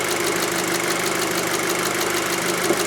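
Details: 2006 VW Passat 2.0T after repairing a broken fuel rail pressure sensor signal wire (code P0190, lacked power): steady idle with light quick injector ticking, no misfire or hunting; rail at 50 bar at idle, running normally.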